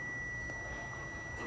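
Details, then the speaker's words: Transistor tested with a multimeter in continuity buzzer mode: a steady high beep sounds across its different pins in both probe polarities, showing the transistor is shorted and faulty. "तो दोस्तों जैसे मैं इसकी अलग अलग पिनों पे लगा रहा हूँ, कनेक्ट कर रहा हूँ, तो आप देख सकते हो बीप की साउंड आ रही है। तो समझ लो ये शॉर्ट हो चुका है।"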